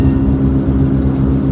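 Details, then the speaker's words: Honda with D16 engine, warmed up about 30 minutes at 33°F, cruising: steady low roar in the cabin that the owner attributes to a bad wheel bearing and plans to fix with a junkyard spindle or new bearing. "So obviously I didn't drive the car much before to notice that it had a bad wheel bearing."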